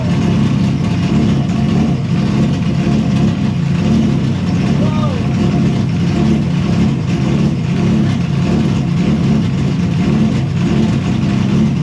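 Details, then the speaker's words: Engine starting after a 3D-printed replacement intake manifold was fitted (previous manifold exploded when power was switched on), fuel pump on: steady, loud, even run with deep rumble and no misses or knocks. "It's a little little loud in here, though. LET'S GO!"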